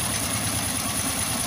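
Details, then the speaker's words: Motorstar Well 125 with Honda Dash-type engine after installing the oil pump gear in the crankcase: even idle with steady mechanical chatter, clanging from cylinder area gone and oil now reaching the head. "Ayan okay na siya naglabas na siya ng langis dito sa taas at yung ingay na kalembang wala na rin dahil nga dito sa gear na to"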